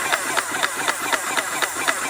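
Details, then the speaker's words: Airless paint sprayer running on thinned paint with the trigger held continuously (releasing it tends to cause blocking): even pump pulses about four a second over a steady hiss, no stalling or stutter; sounding much healthier, normal running. "which is sounding a lot healthier than it was, is don't let your hand off the trigger. Just keep painting."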